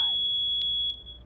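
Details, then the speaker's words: Natural gas warning pattern on a USI plug-in carbon monoxide and natural gas detector with battery back-up: one loud, high, steady beep of almost a second, then a pause; the readout shows "gas". "now your natural gas I'm going to sound that one it's a loud beep then a"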